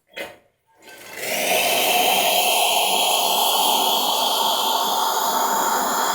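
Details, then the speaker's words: Wega espresso machine with a newly fitted 2940 W heater element: a short tap, then a steady buzzing hum as the pump refills the boiler after water is run off. Boiler pressure drops, so the element switches back on. Normal autofill. "you can see this is the pump pressure incidentally you can see it's pumping in some more water now as that water fills the boiler the the pressure in here will drop because temperature will drop and it will switch back on"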